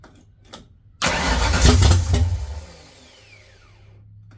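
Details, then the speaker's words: 1979 Mustang coupe 5.0 V8 swap, first start with carburetor bowl hand-filled: catches with loud burst, runs rough about four or five seconds then dies; fuel pump problem, carb feed line bone dry. "It did start. It did kind of run for I don't know, four or five seconds, whatever you want to call it. But, uh, we definitely have a fuel pump problem."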